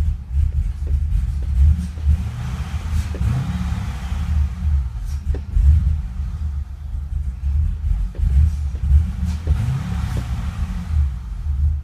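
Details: Engine rough and misfiring at every cold start with a deep uneven stumbling, surging rumble, won't idle or rev; after about a minute the Service Active Handling and Traction lights come on and it runs normally.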